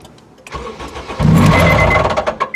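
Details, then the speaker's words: Honda K24 engine with Skunk2 Stage 2 cams and new Skunk2 tensioner, cold start before oil pressure builds: loud metallic clatter; the cams later proved to have skipped two teeth, stretching the chain 4mm and chewing the cam gear. "you can hear how bad how bad it is everything is timed right brand-new timing chain tensioner"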